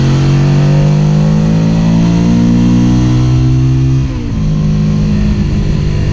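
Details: SV650 twin: revs steadily, then the note suddenly sags and stumbles about four seconds in before picking up unevenly again, a misfire.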